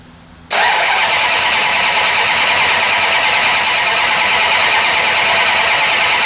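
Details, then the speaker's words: 1968 Plymouth Barracuda, ATK crate engine, new ACES EFI distributor replacing MSD Ready To Run unit, first fire-up: engine catches with a harsh, raspy, uneven roar, sounding grossly out of ignition timing. "there we go we have fire sounds like it's grossly out of time"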